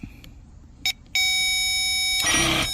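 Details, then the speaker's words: 2007–2013 BMW X5 E70 air suspension compressor, replacement unit bench-tested with direct power before installing: clicks, then a steady high electric whir spins up and holds; pump works normally. "hear that all right all right so that lets me know that this pump actually works okay so that's how you can test your pump"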